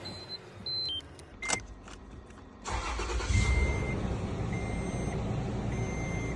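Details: Toyota after a no-crank no-start fix: door chimes, then the starter turns briefly, the engine catches at once and settles into a steady, even idle; normal start.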